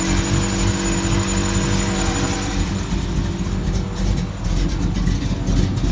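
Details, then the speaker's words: Old Chevy K10 V8 with Comp 280H cam and aftermarket heads, idling after start-up: deep, lumpy, choppy lope, steady and even; engine sounds healthy. "Oh, it's gonna comp 280H cam and whirl heads and all that crap on here, so it's a little spicy."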